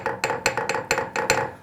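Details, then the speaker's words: Sharp metallic clinks, about four a second, from brake pads rattling in an AP Racing by Essex Pro5000R Radi-CAL competition caliper with the standard aluminum bridge piece; pads move vertically, hitting backing plate and bridge over rough surfaces; fixed with spring-loaded pad tension bridge. "What we found was that some of our customers were experiencing some rattling noises whenever they would drive with this standard bridge piece."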